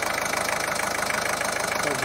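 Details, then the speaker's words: Ford 1.5 TDCi diesel after repair of a jumped timing belt (broken rocker arms, bent valves, damaged camshaft), first start while still adapting: an even, steady idle with light regular clatter and no knocks, running smoothly. "praca co prawda jego w tym momencie jest jeszcze adaptacyjna ale tak jak widzicie po kulturze pracy Sob bardzo ładnie za niedługo będzie można szklaneczkę postawić będzie sobie ładnie równie"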